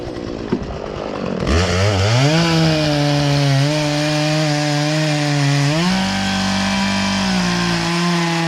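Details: Poulan Pro chainsaw that sat unused in a barn for three years and never ran right, after low and high carburetor adjustment with a tool kit: fires, climbs cleanly to steady high buzz, pitch dipping slightly as it bites wood; normal running under cutting load.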